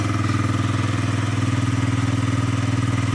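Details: Yamaha Jog SA36 scooter that would not start after owner disassembly and reassembly, now started with fault lamp no longer blinking, air filter not fitted. Steady even single-cylinder putter about four pulses a second with no missed beats; normal idle.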